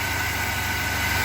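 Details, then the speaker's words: 1997 Chevy S10 pickup, cold, after fixing shaking/misfire (codes P0102/P0103) at the mass air flow sensor: steady, even idle with a smooth low pulse and no stumbling; engine running normally. "oh yes nice now it's nice and sturdy a little bit shaken it's probably because it's cold but oh it's starting right up no problem whatsoever"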